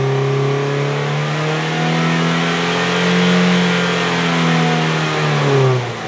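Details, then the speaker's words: Toyota Vios Gen 3 after upgrade work, revved to about 4–5k rpm: sweeps cleanly up and back down, smooth and even, dry sound with no metallic ticking or roughness; healthy engine. "Nah, biasanya kalau mesinnya bermasalah itu ketika dia turun atau ketika dia naik gas itu dia ada suara kritik-kritik itu dari metal ya kan, suara mesin kasar, terus suaranya nggak kering ya. Kalau ini kan suaranya masih kering banget nih."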